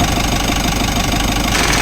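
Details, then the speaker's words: Mitsubishi L300 Euro4 diesel at idle, recorded near the AC compressor, which was noisy and cooling weakly: rough, gritty grinding grows harsher once the compressor engages, internal grinding like a mill; pressure to be checked with a gauge manifold. "Ayan oh. Grabe ingay. Yatay ko muna ulit kasi parang parang gilingan siya ng ko alam kung mais o parang may ginig-gilid siya sa loob."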